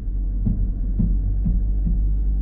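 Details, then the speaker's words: Jeep Compass Trailhawk in drive and rock mode on a slip test: low engine drone with soft ticking pulses about twice a second. Traction control is sending brake pressure to the spinning wheels, which is normal operation. "You hear the computer going tick, tick, tick, tick, as it starts to send brake pressure to the wheels that are spinning and, you know, pull us right off."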